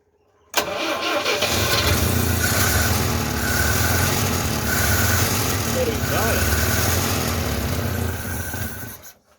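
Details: 1974 Citroën DS21 not run for over six years, cold, tried on choke with fuel reaching the carburettor; the choke may be stuck on. It turns over at about four beats a second, then runs roughly for several seconds. Slow, hard start.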